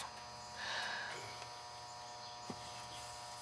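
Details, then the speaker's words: Central AC outside condenser not running, breaker not tripped: a quiet steady electrical hum as the motor tries to start and stalls; the run capacitor is visibly puffed and failed, to be replaced with an 80/7.5 capacitor. "yeah i can tell it's no good it's all puffy yeah see it puffy yeah and i could hear it trying to stop yeah with humming"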